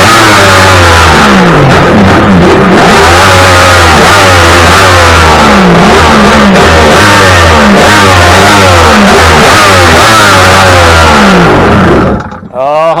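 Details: 2000 Kawasaki 1100 STX DI jet ski after installing repaired EMM to fix a no-start: loud two-stroke buzz revving up and down in repeated blips, clean and responsive with no misfire or stumble; runs healthy.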